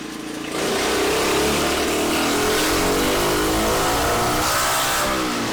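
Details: Freshly built Tillotson 236R kart engine, first power run on the dyno. It pulls cleanly up through the revs, the buzz climbing in pitch with no misses or knocks; healthy, though the result was not what was expected.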